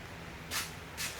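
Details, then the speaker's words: 2014–2017 Subaru Crosstrek after rear wheel hub bearing replacement; hand-spun hub gives a scraping swish about once per turn, rubbing on the dust shield lip, to be sanded down; sounds like brake pad touching. "Looks like it's rubbing on this lip right here, this dust lip. Yeah. So I'm going to sand it down. Sounds like a brake pad's touching, and that's it."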